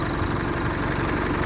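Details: Isuzu common-rail diesel SUV, started in one go: steady, even diesel clatter at idle with no knocks or misses and no warning lights. Temperature stays under half; a healthy engine.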